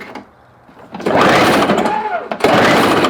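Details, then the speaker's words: Toro CCR 1000 two-stroke snow thrower with engine swapped from old Snapper, after starting fluid sprayed, ignition on: two quick rasping pull-cord bursts spin it over but it never fires; still no start. "Oh, wait. Nope, ain't nothing there."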